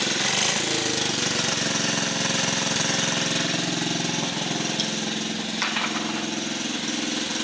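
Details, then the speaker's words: Rare 1950 REO small engine, just revived, air cleaner off: fast, even popping beat about 160 a minute over sharp mechanical clatter; running steadily and healthy. "Let it run. It is running."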